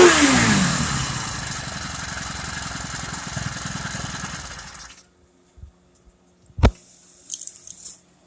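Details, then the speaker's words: Honda GXH50 49cc four-stroke, unrestricted with Honda flywheel and ignition coil, run before the clutch install: fast crisp single-cylinder putter, steady and even for about five seconds before shutoff; healthy. "That's the way the motor's supposed to sound like. Not that garbage fucking noise that it makes. This is an unrestricted engine."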